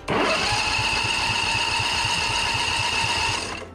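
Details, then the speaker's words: Husqvarna Z246 46-inch zero-turn mower with grounds reinstalled, starter cranking steadily with gear whine but no spark and no firing; disconnecting the coil lead gives spark, so something, probably a safety switch, is grounding out the ignition. "no spark okay so let's get this thing disconnected"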